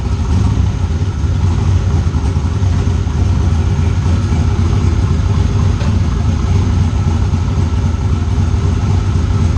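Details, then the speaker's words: Turbo engine on MegaSquirt ECU after loose turbo-side intake couplers were fixed, MAP sensor reading about 30 kPa high: deep even idle rumble, no misses, stumbles or ticking, set at the throttle's happy spot; sounds good. "You find the happy spot with the throttle and you'll just know right away, like, okay, that's happy. That sounds good right now."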